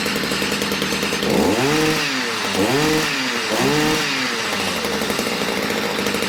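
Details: Stihl MM65 two-stroke, warmed up and being retuned after not starting; the buzzy engine blips up three times then settles to an even run, running normally, with a drip of excess oil or fuel noticed.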